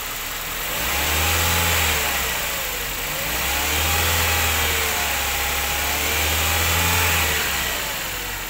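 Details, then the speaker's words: 1994 Toyota Great Corolla 1.6 manual petrol engine running and revving with light throttle blips before the AC is switched on: smooth, even idle that swells cleanly, with no knocks, rattles or odd noises; healthy engine. "halus rekan-rekan halus tidak ada suara aneh-aneh untuk mesinnya"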